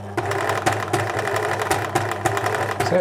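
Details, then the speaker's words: 1980s Singer Futura sewing machine (model 1000, 1100 or 2002), bobbin case missing, labelled no-go: runs at max speed with uneven stuttering rhythm and irregular catches; toothed motor belt slipping, likely parts machine. "that might be the motor belt slipping is it yeah that's that feels like motor belt slipping there"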